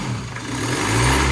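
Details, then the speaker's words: Land Rover Discovery Sport HSE diesel after turbo replacement: idles then revs cleanly with a soft turbo whistle rising and falling with speed, no rubbing; the earlier noise was the turbo rubbing on its casing. "So that's normal, completely normal turbo sound now. So obviously it was that rubbing on that casing."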